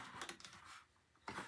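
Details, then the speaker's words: Starter solenoid gives single sharp clicks with quiet gaps and no cranking; the coil works but the contacts are probably burned from years of use, so the starter does not turn. "no the coil is working the contacts are probably burned up from use over the years if it's clicking like that and and your starter is not starting"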